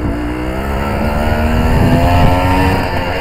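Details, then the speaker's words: Suzuki TS185 two-stroke road test after main jet change: note climbs under load with uneven fluttery burble around 3-4 grand instead of a crisp rise; rider adjusting jetting and needle clip to cure it. "Trying to get rid of that little burble there, around about 3-4 grand."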